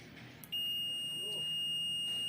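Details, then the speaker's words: Digital multimeter in continuity mode: beep switches on at touch and stays on without stopping, a single high steady tone; continuous beep traced to a burnt resistor. "यानी आप touch करते ही आप बप continue चालू रहेगी और वापस य beep बंद नहीं हो रही है"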